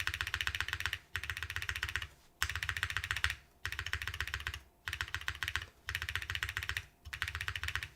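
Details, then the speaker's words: Keycult No. 3 TKL keyboard after fixing the spacebar: fast bursts of crisp, even keystrokes with a deeper spacebar thock, earlier rattle gone. "Way better for the spacebar. This is a really nice sounding keyboard. Weird sound is gone."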